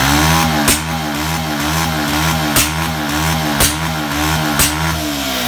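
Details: Bajaj Pulsar 150cc held at high revs: sharp cracks about once a second break the rhythm, a misfire with exhaust popping; cause not confirmed.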